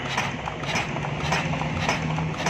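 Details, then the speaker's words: Chinese JD 8 hp diesel generator with a starting problem. The jammed injector nozzle was refitted and pressure-tested; while turning it over, a crisp chatter repeats about every 0.6 seconds as the nozzle now sprays diesel properly again. "ये देखें इसका अभी इसमें आवाज़ भी, इसने जब भी जनरेटर को आप स्टार्ट करेंगे ये पहले आवाज़ करेगी।"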